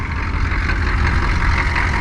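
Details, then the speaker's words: 1988 Chevy C2500 with a 6.2 diesel, aftermarket Banks turbo and over 400,000 miles, long parked and just off the trailer, idling: a deep, steady, even rumble with no knocks or misses, barely smoking; normal idle. "look at this thing she actually sounds pretty good she's a little"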